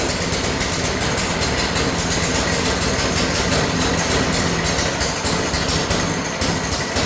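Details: New Harbor Freight single-cylinder engine on a rebuilt American Cruiser go kart: steady fast idle popping, slightly rough but settled, no knocking or rattling; normal idle.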